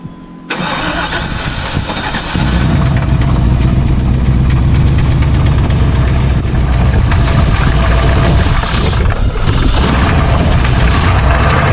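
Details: Junkyard 454 V8 for a 1996 GMC K3500, ridden hard, run on fuel poured down the throat due to old tank gas: loud, rough idle with a heavy uneven knock three or four times a second; engine knock.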